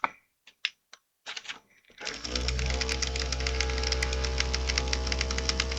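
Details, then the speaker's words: Model-paint shaker running normally, heard through the microphone: steady low buzz with a fast rattling tick from the small metal mixing ball inside the paint container. "If the pop filter is not working, then you can hear the buzzing of the paint shaker thing,"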